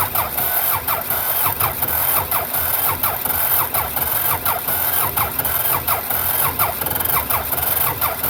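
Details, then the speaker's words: Belarus 250 tractor, two-cylinder air-cooled diesel that sat for years and not started in days, near full throttle: the starter grinds the engine over at about 85 pulses a minute but it never fires; cranks with no start, so ether is next. "now it ain't like it's wanting to do nothing give it a shot of ether and see what happens"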